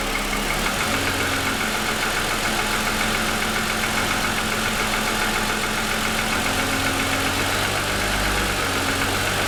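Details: 2007 Lexus ES350, parked, hood raised, cold start: a steady idle with a dull, fast tapping of about three to four a second. Pronounced piston slap lasting about 10 minutes after a cold start, louder over 2.5 years of ownership.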